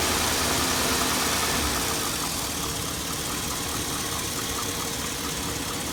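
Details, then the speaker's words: 2002 Chevy Avalanche 1500 5.3L V8, 214,000 miles, warm idle: a fast regular diesel-like ticking clatter of about three to four a second, worsening over a year. The owner likens it to a Ford 5.4 Triton cam phaser tick; source not found. "sounds like a 54 Triton s like a diesel"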